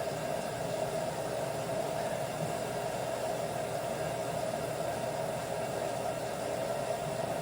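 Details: LG front-load washer with IE code, after replacing hot and cold water valves, in diagnostic mode: probably main water valve fill, even steady rush of water with faint constant tone, no buzzing or chatter; pressure reading falls from 261 toward 230, normal.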